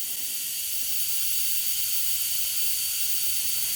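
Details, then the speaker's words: Wastegate bench demo on a 3-port MAC valve setup, compressor air fed to the wastegate: continuous high, even hiss under steady pressure, air leaking a little through the actuator diaphragm, which typically shouldn't leak. "Alright, so there we have air coming in. You can hear it flowing. It's actually leaking a little bit through the diaphragm."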